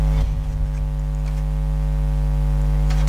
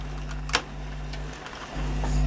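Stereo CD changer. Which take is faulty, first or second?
first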